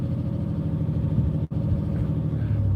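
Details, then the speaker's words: Chevy Malibu V6 with a glasspack exhaust, resonator and converter left in, so not loud. It gives a deep, even, steady rumble with no knocks or rattles and sounds healthy. The owner notes a slight rough idle once warm, blamed on old gas. "that is a chevy malibu v6 with a glass back put in but uh i think he left the resonator into the kind of converter so it's not that loud it does sound decent though"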